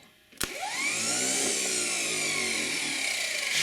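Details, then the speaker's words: Old Ford industrial 4-cylinder chipper engine's starter after brush replacement and commutator cleaning, run on a jump pack: a high whine spins up fast and holds steady and smooth, with no drag and no sparking at the brushes; a healthy starter. "don't see any sparking on the brushes all righty so i think i'll make a happy camper at the campground"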